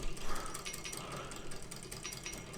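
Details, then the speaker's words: Wilesco D419 kit-built showman's steam engine, first run: irregular dry crunching and ratcheting clicks as gears turn; tight spot where middle drive gear, owner suspects slightly off true, meets the small flywheel gear. "then we've got a bit of a crunchy spot you can hear it i think i don't know if you can see the edge of that gear there just seemed to be slightly off true"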